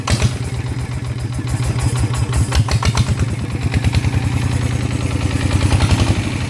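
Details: Kubota small diesel that vibrated, after reassembly and valve adjustment: even, fast thumping that climbs smoothly when revved, with clearly less shaking than before.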